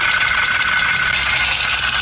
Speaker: Piston pin breaks and makes abnormal noise.